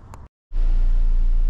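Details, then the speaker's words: 2012 Chevy Sonic 1.8L after replacing a broken ignition coil and the spark plugs (P0300 random misfire): it ran rough about 10 seconds, then settled to a smooth, steady idle at about 800–900 rpm; normal idle. "the idling is great it's idling at about eight to nine hundred i think that's really good"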